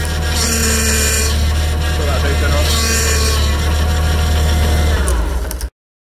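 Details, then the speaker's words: Idling car with a leaking power steering pipe: steady groaning whine rising and falling as the wheel turns; pump draws in air replacing leaked fluid, which is whipped around the pump, causing the noise. "the reason that's making noise is that it's pulling in air for every drop of fluid that comes out this gets replaced by air going into the system which then gets put around the pump really fast and makes that horrible noise"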